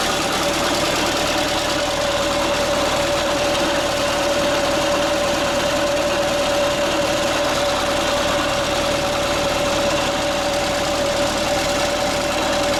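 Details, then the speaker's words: Late-1970s Bobcat 632 engine losing power, sudden onset, cylinders previously bored with oversized pistons: loud, rough, hissy run with a steady whine, no clean idle rhythm; heavy blow-by, engine to be pulled. "Yeah, so you can see that's pretty bad, and yeah, it just kind of started all of a sudden, and so I don't know."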